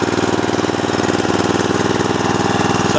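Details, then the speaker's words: Snapper riding mower single-cylinder engine: fast even firing pulses with a steady beat, no misses or knocks; normal smooth idle. "Sounds good. Smooth idle, sounds good to me."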